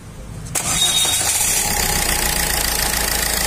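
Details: Ford Fiesta with P0652 starting problem, started after crank sensor, pulley and timing-belt-cover work: catches at once and settles into an even idle with a constant hiss, no misses or knocks; running normally.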